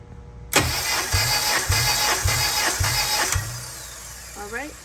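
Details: Compression test on one cylinder of a car, five starter cranks with a compression gauge fitted: about five even cranks with a steady beat and equal pulses; reads about 152 psi, healthy and matching the other cylinders.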